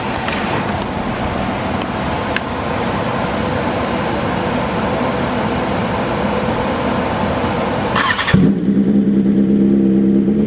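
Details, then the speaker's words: 2022 BMW S1000RR with custom dyno tune on pump gas, cold start idling high with busy firing pulses, then pulling down near eight seconds to a smoother settled idle; improved warm-up versus OEM setup. "it is going to start high but give it like a few few seconds and you'll see it'll start to pull down versus how the OEM uh the OEM setup does"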